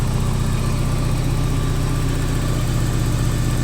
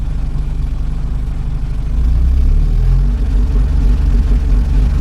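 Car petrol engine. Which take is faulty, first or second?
second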